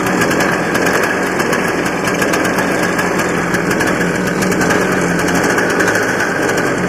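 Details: Barn-find 1984 Honda Odyssey two-stroke, cold start on premix fed into carb, choke on: fast even idle with steady crackle, no surging or dying; winds up readily with throttle, runs cleanly though owner wonders if it runs lean.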